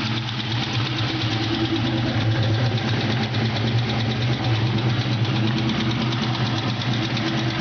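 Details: Ford Mustang GT 4.6L at idle: light, quick ticking in time with the engine over a steady mid-pitched hum; source not identified.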